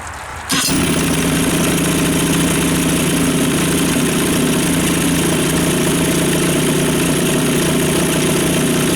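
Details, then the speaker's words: 2-stroke outboard after fuel system refresh (carb cleaned, fuel pump replaced, bad fuel flushed); previously would not idle: catches and settles into a steady, even idle with no stumbling or surging, smoothest ever. "happens okay so I'm not going to argue with that that's smoother than she's ever idled"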